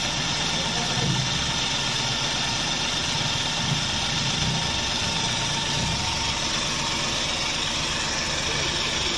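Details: Flood-damaged Suzuki DA64V van, petrol engine, after the crank-no-start was fixed: steady, even idle with no misses or surges; running normally, water suspected in the engine.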